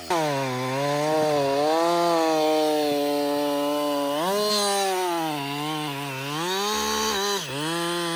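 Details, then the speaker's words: Husqvarna 562XP chainsaw, dealer-reflashed after dying when hot, not starting and stumbling; about an hour into running. A strong, steady two-stroke scream bogs slightly into the cut and recovers cleanly. It runs normally under load. "so far it's running great um I've got I'd say about"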